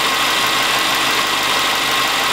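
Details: 2003 Subaru Forester non-turbo boxer, manual, 140,000 km, garage at -10 °C, after 10 minutes of warm-up: idle with a steady busy clatter over the hum; suspected piston slap, uncertain.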